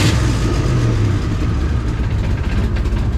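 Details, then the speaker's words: 2003 Mustang GT with a cammed 2-valve V8 swapped in, revving: a loose, buzzy rattle builds as revs climb, the exhaust hitting the body on one side, over a mild cam chop. "Yeah, it's hitting the body over there."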